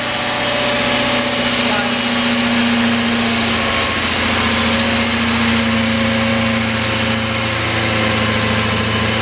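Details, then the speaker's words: BMW S62 V8 at first start-up after rebuild, after a fuel feed line leak was fixed: busy idle with fast light ticking over the engine note; suspected lifter noise, not confirmed. "Sounds like an S62 with some lifter tank, huh?"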